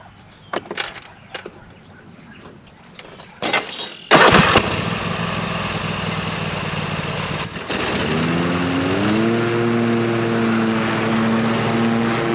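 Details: 26 HP Kohler V-twin lawn tractor, first mowing test after new ignition coils fixed a long intermittent one-cylinder misfire; a few clunks, then it fires and climbs to a steady even drone; full throttle through tall grass without missing a beat, idle smooth.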